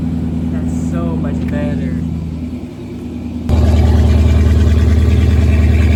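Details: 2007 Dodge Charger 5.7 V8 with newly welded-in exhaust replacement: deep, even rumble that steps up louder and holds steady with no rasp or leak. Quieter than before: normal exhaust note.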